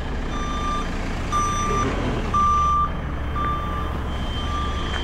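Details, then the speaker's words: Telehandler after being uprighted from a rollover: steady reverse beeper about four beeps a second over the idling engine, but the machine won't back up; reverse selected with no drive, cause not confirmed. "by some mirror we were able to start it and and put the boom down but it won't go in reverse it won't back up I'm guessing cuz we could hear the reverse beep"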